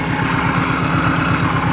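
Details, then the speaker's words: Flood-damaged Saleen #26 at auction: noisy idle with fast regular low clatter under a loud hiss; suspected supercharger, possibly sucked up water; otherwise sounds mostly good, source not confirmed. "it makes me wonder if this thing has sucked up water cuz that's uh that's awful"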